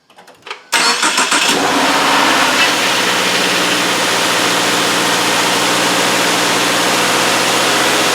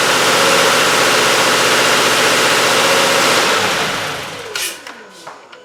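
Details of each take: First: 2017 Subaru Outback with 59K miles, cold start after sitting overnight on an 80-degree day, just after an oil change with an anti-siphon (anti-drainback) oil filter, fitted to cure a 5-second start-up clatter: brief crank, even fast idle, no clatter or knock. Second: 2017 Subaru Outback, 59K miles, cold start after sitting overnight: sharp, rapid clatter of about four per second fades after about 5 seconds as the drained-back oil filter fills and the chain tensioners pump up. This is before the oil filter fix.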